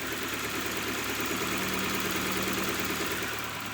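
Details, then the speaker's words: Old hard-starting petrol car after a Sea Foam treatment and idle adjustment: engine idles steadily and evenly, no knocking, misses or hunting; owner credits removal of carbon buildup that caused pre-ignition and dieseling. "Purring like a kitten. It's not having that extra compression and pre-dieseling, pre-ignition due to all that carbon buildup that reduced the space inside the cylinder."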